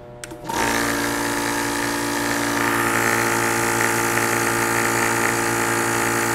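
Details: CREWORKS electric PCP air compressor pump, 4500 PSI, water-cooled, at 56 °C (limit 75 °C): starts into a steady hum with an even whine on top holding constant pitch; normal running.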